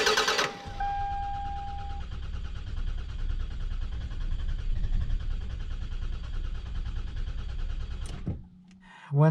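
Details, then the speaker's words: 2001 Toyota Camry 4-cylinder 5S-FE, cold engine: starter churns steadily for about eight seconds before finally catching; long crank on cold start traced to a faulty coolant temperature sensor (idle control valve also dead). "engine is cold it turns over forever and doesn't catch up it does catch up eventually and starts but it takes forever"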